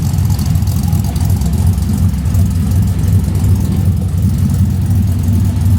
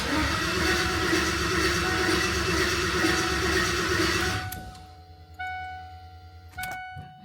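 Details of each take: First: LS V8 swapped into a 1988 Ford Bronco, warming up toward thermostat opening, less rich than before, ECU pulling about 10° timing: low, lumpy but even rumble with no knocking; normal warm-up idle. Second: New LS V8 in a 1988 Ford Bronco swap, first start attempt: starter spins the engine evenly for four seconds but it never fires; VATS anti-theft was not deleted in the tune.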